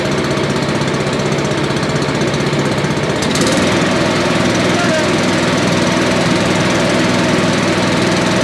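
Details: Billy Goat leaf blower, Briggs & Stratton 9.5 hp single found headed to scrap, sooty plug, low compression, slightly choked: catches and settles into a steady, slightly uneven chug without backfiring, running fine.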